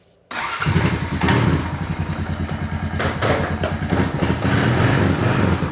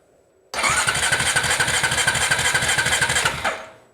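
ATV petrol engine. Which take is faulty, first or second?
second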